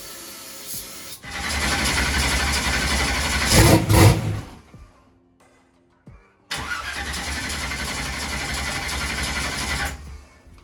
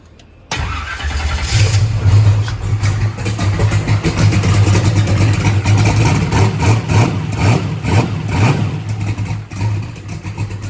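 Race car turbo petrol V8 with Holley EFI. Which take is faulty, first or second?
first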